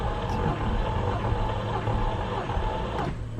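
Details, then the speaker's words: VW Golf R 2.5 engine on compression test with throttle held open, battery tender connected: starter turns the engine sluggishly and unevenly, much slower than the owner's other car; owner suspects a dead battery, not confirmed. "wow it's like battery's like toast cranks really slow 130. let's try that again dude what was up with that why did my other car crank so quickly i don't know why this one cranks so slowly"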